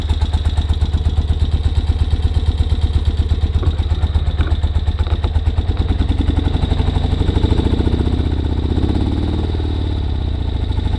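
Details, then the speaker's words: 1973 BMW R75/5 twin, unused since 2015, first electric start with new battery and fresh fuel: lumpy, uneven low idle with stumbling beat, about 170 pulses a minute; misfire, missing on one cylinder. "Got a little bit of a misfire. Try taking the chokes off. Whoa. Let's choke it. Crank it. Alright, so it's missing on one cylinder."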